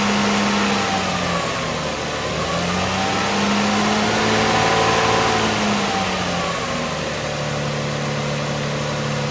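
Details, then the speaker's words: Toyota 1MZ V6 in a project Lexus ES, just after an oil change (5 quarts): even, settled idle with a smooth drone and slight rise and fall in revs, no knocks or ticks; healthy engine. "You would be hard-pressed to find a V6 smoother than the Toyota 1MZ."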